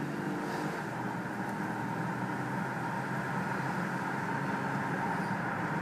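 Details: Subaru H6 3.0 with 5EAT automatic: thin steady squeal high above road and engine noise while braking; source unclear.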